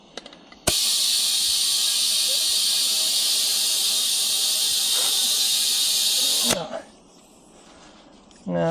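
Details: Tractor tire that came off the rim after cold weather lowered pressure, being reseated with a ratchet strap and air compressor; loud, steady hiss for about six seconds that stops abruptly; air escaping past a bead still separated from the rim.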